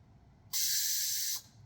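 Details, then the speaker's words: 2012 Toyota FJ Cruiser with Air Lift Wireless One controller and rear Air Lift 1000 bags, engine off, lowering from 23 to 22 psi: a sharp, steady one-second hiss that cuts off cleanly; normal exhaust venting. "Put it down to 22 and it'll exhaust a little bit."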